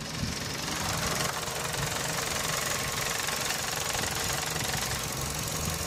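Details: Running engine heard through a selfie stick on an engine bay component, knuckle to phone mic: a loose, irregular buzzy rattle at about three per second. The owner previously diagnosed it as the radiator fan housing.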